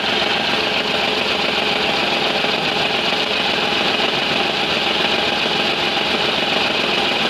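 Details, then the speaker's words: Renault Kwid petrol engine idling with check engine light on: irregular low thump about twice a second, heavy vibration and knocking from a cylinder 3 misfire caused by an injector control circuit fault. "काफी vibration और मिशिंग कर रहा है आप देख सकते हो D आपने देखा कि इंजन का वाइब्रेशन किस टाइप से हो रहा है"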